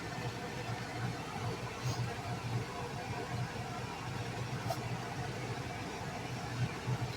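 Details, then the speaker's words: Rooftop ductless RV air conditioner running after a ribbed downspout, sealed with insulation, was fitted as a muffler: steady low hum with even airy rush, no rattles or surging, way quieter than before; normal running. "And now it's still running. Like I said, I don't know if the video is picking it up, but it's way quieter."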